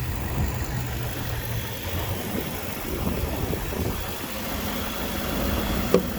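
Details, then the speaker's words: Cadillac with engine replaced by dealer two or three years earlier, idling: quiet, even, soft low hum with no knocks, rattles or vibration; sounds healthy. Normal idle. "So sounds healthy, there's no weird vibration."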